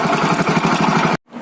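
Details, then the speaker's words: Hero Splendor Plus BS6 motorcycle at idle before timing chain replacement: quick steady beat with dry metallic chatter on every pulse from a loose, slack timing chain. "तो guys मैंने इसको start कर दिया है, sound आप सुन सकते हैं timing चैन की साउंड कैसी आ रही है इसके अंदर से। तो इस तरह की होती है टाइमिंग चैन की साउंड, आपने शायद सुन लिया होगा ध्यान से।"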